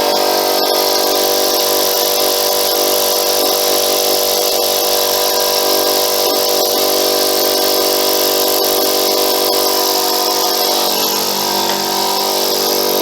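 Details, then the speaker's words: Free air compressor after cleaning the valve plate and reassembly: loud, harsh, steady pump clatter; air blows out at the side and pressure reaches only about 30 psi. "can feel it blowing at the side oh no it's coming out of there"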